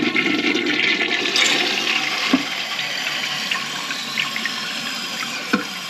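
Short gurgling rush of water that fades quickly without a strong draining whoosh; weak flush, possibly a partial clog.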